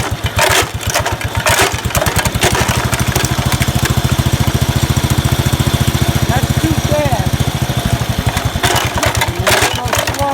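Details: 1969 Locke reel mower single-cylinder, after sitting in a barn for a long time: rapid, evenly spaced popping at a high, fast beat throughout, so the engine runs too fast with the idle speed set too high.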